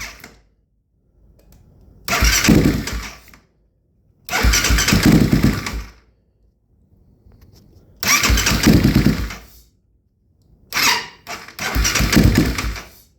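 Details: 2008 Kawasaki KFX450R with new starter, relays, solenoid, switches, harness, injector, coils; timing and valve clearances checked, tried three batteries including 240cca lithium: four ~2-second attempts, turns over slowly and heavily, never catches; slow cranking, no start.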